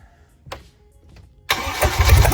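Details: Bayliner's Mercruiser engine after a head gasket job, with spark plug wires corrected from the wrong order: a short crank, a pause, then it fires and holds a deep, steady run, starting properly.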